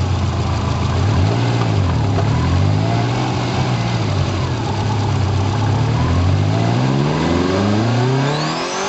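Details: Subaru Impreza GC8 turbo at nearly 150,000 km: revs rise and fall with a thin high whine as boost builds; owner believes the turbo is due for replacement, unconfirmed.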